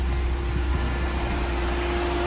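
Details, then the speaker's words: Ford (New EcoSport/Ka/Fiesta type) with A/C switched on: compressor engages and radiator cooling fan cuts in within about 10 seconds with a steady low even whirring hum, then cycles off; normal cooling fan operation. "passou no máximo aí 10 segundos no máximo 10 segundos ele já entrou o ventilador aí já desligou"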